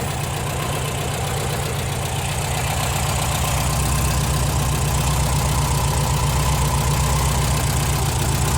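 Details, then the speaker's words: Air-cooled VW Type 4 engine after valve guide replacement, now warm, idling steady and even at about four beats a second with no ticking or clatter; valvetrain healthy, though owner later notes it runs lean and sputters. "उम हाँ ठीक है वह बिल्कुल ठीक चल रही है वह सुस्ती से चल रही है बहुत अच्छी है कोई क्लिकिटी क्लैक नहीं है वह वास्तव में अच्छा"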